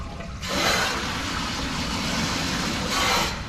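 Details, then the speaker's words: RPZ backflow preventer on a demonstration wall, expansion tank and upstream causes eliminated: two sudden rushing hisses of water over a low hum as the relief valve spits with each pressure jump; RPZ relief valve nuisance discharge. "we still get that baking from that relief belt all right perfect looks good move on to our next one"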